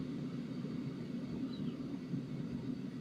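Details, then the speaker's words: Sunster HTB1 diesel air heater on lowest setting: soft steady low rumble with no ticking, though faint ticking starts returning, possibly intermittent; slightly quieter than on high. "Now, it's on the lowest setting, as you can see, there's no ticking."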